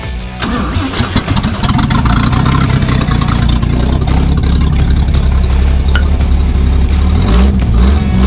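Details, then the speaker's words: 1973 Toyota Land Cruiser FJ55, FJ40 carburetor fitted, exhaust pipe disconnected from manifold: very loud raw low rumble swelling with throttle, uneven beat from the open exhaust. "so we had a couple successful runs on this old girl you can tell the exhaust manifold is disconnected um the exhaust pipe so it's pretty loud"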